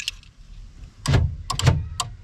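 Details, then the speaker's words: 1990s Ford F250 Powerstroke diesel, key on, jumped with a flat blade screwdriver: power door lock actuators cycle with quick sharp clunks, one then a double then one more, operating normally. "We're going to take a flat blade screwdriver and we're going to cross this over. You hear the door lock cycle."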